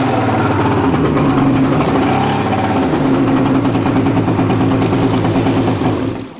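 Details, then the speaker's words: Two-stroke jet ski given too much gas before warming up: uneven, stumbling note that surges with throttle, then sags and dies; too much throttle before the roughly one-minute warm-up makes it run badly and stall. "Now it's running bad."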